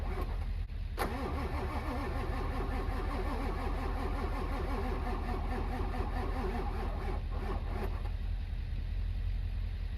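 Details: Winter retry of a truck, apparently the 740k-mile 7.3 Powerstroke diesel left unstarted for months: a slow, uneven starter churn for the whole ten seconds with no catch. A hard-starting diesel; the owner is unsure it will start.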